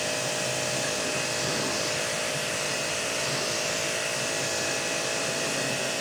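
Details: Hanabi JBD 8003 induction-motor pressure washer, 127V/110V, with the supplied snow foam lance on a bike: steady even spray hiss over a smooth motor hum, no surging or pulsing; washer and foam lance working normally.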